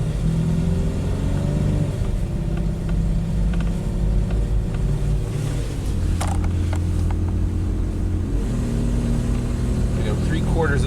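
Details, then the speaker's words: 1998 Mitsubishi Montero Sport V6, flooring it from a stop: engine drones low and steady, pitch barely climbs, barely accelerating; mass airflow only about 60 g/s, catalytic converter ruled out as clogged, cause not yet found. "down in the throttle and we're barely accelerating i don't think it's normal so from a stop if i floor it this is all that happens"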